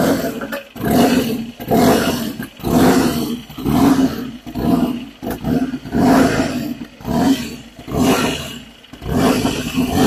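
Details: 1959 Indian Enfield single, restored long-term project, low compression, 2-into-1 reverse-cone megaphone sport pipe: repeated throttle blips about once a second rising and falling cleanly with a deep, even rumble; healthy, responsive running.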